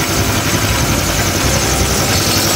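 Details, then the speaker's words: Honda Click 150i scooter after overheating with coolant lost and thermostat bypassed, now overhauled and coolant refilled, breaking in: steady, even idle with a smooth fast patter, no knocks, ticks or hunting. Normal idle. "Yan, tahimik na siya. Hindi na maingay. At one click na rin siyang umandar."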